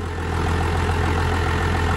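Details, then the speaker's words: 12-valve diesel truck after bleeding air at the number one injector line; steady low diesel rumble with even, light clatter, no misses; normal idle. "it's gonna sound a little rough at first until all the air gets purged out but then hopefully it'll smooth it right out [Applause] sounds good"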